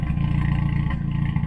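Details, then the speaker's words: Audi S3 at hot idle: steady low thrum with occasional skipped beats, intermittent misfire; owner suspects leaking aluminium injector wells (air leak), plans to reseal with paste; otherwise runs smoothly without knocking. "Et donc là on entend bien les ratés dont je parlais à Ouais. cause de la fuite ossurale. Et je pense que c'est encore les puits d'injecteurs en alu là, qui filent."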